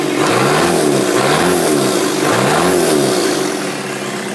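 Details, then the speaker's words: 1985 Toyota 4Runner crawler converted to a Toyota turbo diesel with R151F transmission: a couple of quick revs climb and fall with a rising turbo whistle over the diesel rattle; a healthy engine with normal turbo spool. "Hear the turbo spooling up as well."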